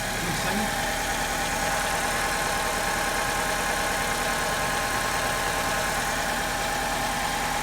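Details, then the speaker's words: 2002 Alfa Romeo 147 2.0 Twin Spark petrol engine idling with an uneven, lumpy beat from a misfire at idle and under acceleration; a previous misfire was from a coil with burnt insulation, and compression and spark are being checked. "I have a miss on idle and accelerating. I'll see if I can start it."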